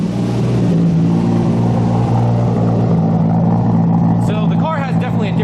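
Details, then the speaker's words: Turbo Supra idling with a failed air-fuel ratio sensor giving erratic readings: steady low idle with a faint uneven lope, revs wandering; owner thinks it is hunting because the sensor isn't working, and it is smoking a little. "little lope to it now um i think the car is reading all over the place it sounds good don't get me wrong it has a bad sound to it because i think it's hunting so much to try and find out where it needs to be"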